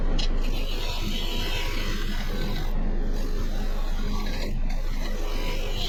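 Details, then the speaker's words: Woodturning a cedar crotch log just after resharpening the gouge: steady even hiss with light regular rasp, no heavy tearing; sharp gouge cutting cleanly. "Now you can see how a lot of difference, the sharp tool, how it cuts, you can hear it. And it's not tearing it as bad."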